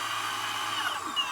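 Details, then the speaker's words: Boosted Board 2 electric skateboard with the wheel drive removed: the drive gear spins with a smooth, even high whirr and no clicking; the clicking returns with the wheel on, later blamed on a faulty motor bearing. "so that that sounds good uh and the wheel is or this this gear is moving"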